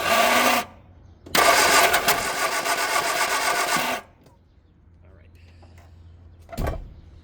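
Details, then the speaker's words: 1969 Austin America, first start attempt in 15 years after carb work, enricher unhooked, electronic-ignition distributor fitted: two cranking bursts that try to catch then die, starter sounds good; timing suspected way too far advanced, not confirmed. "All right, so we are still not there. That sounds like a timing issue."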